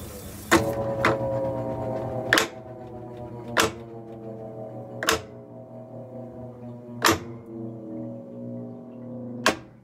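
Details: Whirlpool washer WTW5000DW1 at end of spin during dynamic braking: loud single clacks every one to two seconds, ringing briefly, heard through the house; replacing the worn splutch almost eliminated it, inner shaft bearing possibly failing.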